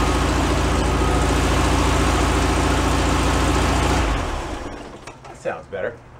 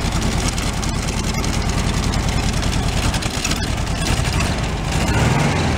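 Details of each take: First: 1978 VW Super Beetle air-cooled engine, long stored, after oil cooler leak repair and hose replacement: steady, even idle at about 214 beats a minute for four seconds, then shut off; runs smoothly and sounds healthy. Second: 1978/79 VW Super Beetle fuel-injected air-cooled engine, tired with low compression on one cylinder, smoking: lumpy uneven idle with steady stumble while each cylinder is shorted out; one cylinder dead, suspected number three.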